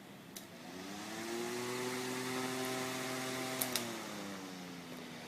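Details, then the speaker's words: Electric fan powered by a pure sine wave inverter whirs evenly with a soft steady tone, slight swell, no electrical buzz or hum, unlike on a modified sine wave inverter. "you can see now it's running on the pure sine wave and there's no humming perfectly smooth"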